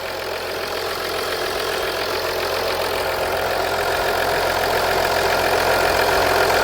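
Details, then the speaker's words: 2014 Audi Q7 3.0L, warm, just after valve cover gasket replacement for an oil leak: steady, even idle with a smooth hum and no knocks or misses; normal, no oil leak. "the engine sounds good"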